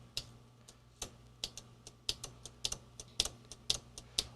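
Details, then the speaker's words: Juki Sierra electric typewriter: motor spins, but on tab the carriage tries to move and stalls unless pushed; sharp uneven clicks about twice a second with no carriage advance. "so yeah tab it's tries to move and then I have to push"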